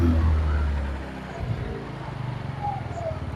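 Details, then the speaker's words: Yamaha Mio Sporty scooter after CVT repair: starter crank axle had shifted forward and stuck, front pulley fixed; engine now idles with a low, even putter, no klotok knocking, ringing or buzzing. "The engine is running smoothly again and there is no klotok-klotok sound anymore. there is no buzzing sound on the part, friends, you can hear the sound for yourself"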